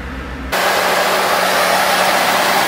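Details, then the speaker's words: 1977 Cadillac Eldorado idling just after a refurbished radiator and water pump were fitted and the heater core bypassed, following an overheat. A loud steady hiss at startup comes from the rear of the engine; the owner is unsure whether it is coolant or something else. "There's a slight hissing coming from the back of the engine. I don't know if that's the coolant or something else."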